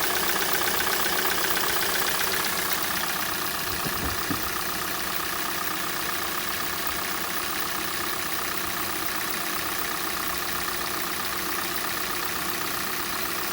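Idling engine with a light, fairly regular tapping of about two or three knocks a second over the hum; a knock on cold start, cause unclear.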